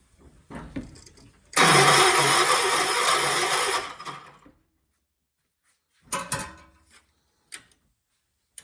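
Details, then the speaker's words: 1976 John Deere 300 tractor, starter in a bind: starter grinds steadily for about two seconds, then stops without the engine catching; cranks but won't fire. Cause suspected, not confirmed. "What the heck? My John Deere won't start today. What is going on? Oh, my John Deere doesn't even want to run today."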